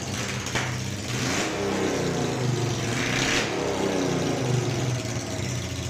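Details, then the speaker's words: Honda NTV 650 V-twin, off the road about 10 years and first started after storage, petrol on reserve: fires up and blips cleanly, revs rising and falling smoothly, no knocks or misses; runs well. "I don't know how well that's going to come out on this phone but you can hear it runs quite well bearing in mind device went off the road and not used to start it for 15 years"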